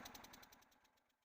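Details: 5 HP single-cylinder diesel engine running after a fuel pump body repair for smoke: even thumps, roughly ten a second, slowing as the sound fades, no irregular knock, and no smoke now; runs cleanly.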